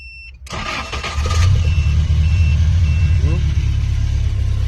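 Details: Car that would not start, after a faulty computer was repaired and a fuse fitted temporarily: the starter churns briefly and the engine catches cleanly, settling into a smooth even run with a short throttle blip. Sounds healthy.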